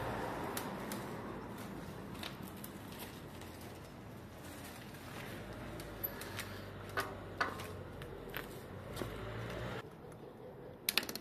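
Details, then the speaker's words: Bicycle hydraulic disc brake test after servicing (pads had oil on them; brake cleaned, bled, refitted and adjusted): soft tyre rumble and light clicks while slowing, with no squeal. "Test du vélo de réparation. Le vélo ne grince plus."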